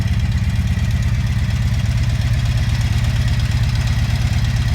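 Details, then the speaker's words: 1983 Honda V45 Sabre VF750S motorcycle at idle: light fast even ticking over the exhaust beat, higher than owner's 82 Magna; owner suspects valves need adjustment, unconfirmed. "tick sounds a little higher than my 82 magnus so maybe i need to do a valve adjustment"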